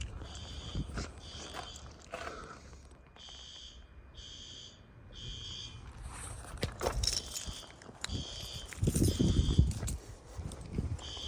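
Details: Monthly fire alarm test: horn strobe pulses loud, high-pitched, very high volume about twice a second over room noise; checked good, sounding properly.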